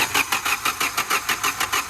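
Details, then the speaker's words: Hyundai Creta diesel that wouldn't restart after running out of fuel, after injector repair, new washers and air bleeding: quick crank then a steady, even clatter of about six beats a second with no misses; normal start. "तो finally गाड़ी start हो चुकी है। थोड़ा accelerator करके रखो बस।"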